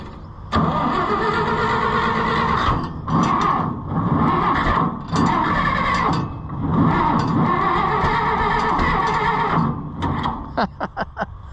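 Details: International Harvester Farmall 560 tractor: several bursts of cranking with short pauses, chugging and nearly catching but never running. Owner had changed the timing after it ran poorly; flooding suspected, not confirmed.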